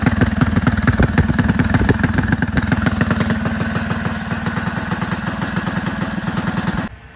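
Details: Rebuilt Predator 224 single-cylinder engine, new piston, rings and rod bearings, aluminium flywheel with advanced timing key, ported PWK carb; first start: even quick thumping for several seconds, no misfires, then clean shutdown, runs normally.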